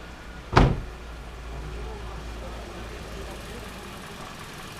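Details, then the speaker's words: Toyota 1ZR-FE engine after a full overhaul, already started and warmed so the hydraulic lash adjusters have bled; odometer shows 205 though true mileage unknown: after a click, low steady even idle with no ticking or knocking, running smoothly. "мотор собран. Я уже заводил, прогрел, компенсаторы прокачались. Сейчас послушаем, как работает, покажу вам."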